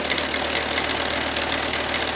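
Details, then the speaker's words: 2005 VW Touareg 2.5 TDI diesel at idle: terrible loud metallic rattle over the clatter from the AC compressor drive coupling, whose worn teeth and freewheel pulley show a lot of movement when levered with a screwdriver. "That's it, Roddy. That's terrible. What a rattle. So, you've got a screwdriver. Can you get movement in that pulley? Oh aye. That's a lot of movement. So it's the pulley going into the rubber bit."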